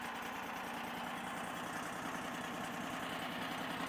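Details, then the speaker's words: Powerease R740D engine on a Chinese mini skid steer after fuel pump work (low fuel supply blamed): slow, even chugging idle without popping or dying; idles smoothly, more power, no bogging. "so this has this thing has never idled that slow and that easy it would never idle it would just pop and shut off and uh I don't know why low fuel causes it not to idle but man it just purrs right now it idles so nice"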